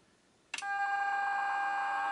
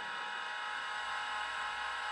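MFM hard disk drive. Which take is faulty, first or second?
second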